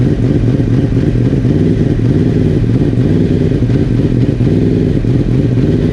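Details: 2017 Yamaha R1, first start after fitting a carbon fiber ram air intake: a strong, steady burble holds an even idle for several seconds with no misses or clatter; the bike runs fine.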